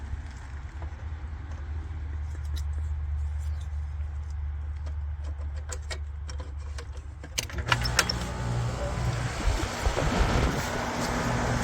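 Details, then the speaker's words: Amana AC condenser after replacing the bad 50/5 µF 440V capacitor: a low hum, then a clean start into an even full-speed fan rush. The compressor runs at full capacity and quietly, with none of the earlier strained humming or freeze-up. "Kicks right on, and you can see the fan is running at full speed now. Compressor is running at full capacity, and it's pretty quiet, so it's not humming like it was."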